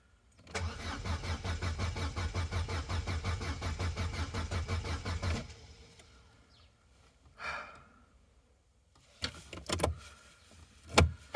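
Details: Vauxhall/Opel Corsa B left sitting 4–5 years, cranked with the fuel pump circuit bridged: steady rhythmic cranking that never fires; no noise from the pump, and owner suspects the fuel pump is dead.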